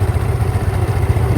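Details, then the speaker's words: 2012 Yamaha Mio Fino scooter, old bike; smoother idle than the Mio S but with irregular crackly "kresek-kresek" pulses over the engine thrum, cause not identified: crackling noise at idle. "Wah ini malah aluski Mas tapi ini bunyi kresek-kresek"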